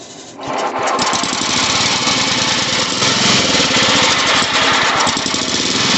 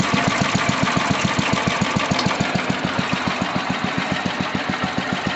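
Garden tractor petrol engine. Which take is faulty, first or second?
first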